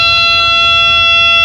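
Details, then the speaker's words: Training aircraft in flight, student pilot's stall, yoke pulled back bleeding airspeed: steady, shrill continuous stall warning horn over faint cabin rumble as the wing approaches the stall, just before the break and full-power recovery. "Let's get that horn on, right out of airspeed."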